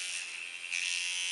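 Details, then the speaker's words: Hummingbird 2 adjustable tattoo machine set to 6 V for shading with the knob loosened: a high steady buzz that turns louder and crisper as the spring starts snapping, the correct shading setup. "on va la règler à 6 V pour faire des ombrages et on desserre la molette pour faire claquer le [Musique] ressort"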